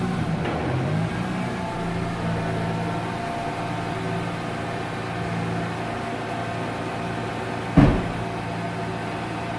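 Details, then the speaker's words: Mazda RX-8 with a rebuilt Renesis rotary engine, first start after reinstallation and cranking for oil pressure: a smooth, steady buzzy hum holding an even idle without stumbling; it starts on the first try, a healthy start. "Just like that, started on the first try. Now I gotta check the leak."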